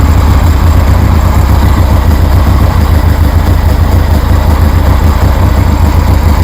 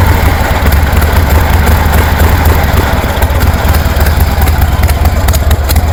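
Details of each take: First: 1973 Harley Sportster with new knockoff Chinese CV40 carburetor, warm, no choke: deep, steady, loping V-twin idle with no stumbles or pops; healthy idle. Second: 1973 Harley Sportster with Keihin CV40 carburetor, choke off: loud lumpy V-twin idle stays flat and won't rev up, bogging.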